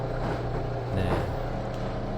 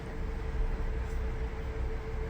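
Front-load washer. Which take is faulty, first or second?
first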